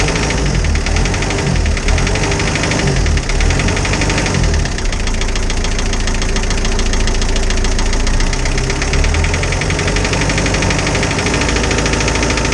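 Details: Isuzu 4BD2T diesel in a Spryte snowcat, fresh after a new cylinder head for an exhaust-to-coolant leak repair; idling with busy even ticking clatter, one valve sounds loose, no coolant bubbles yet; owner suspects valve lash needs adjusting.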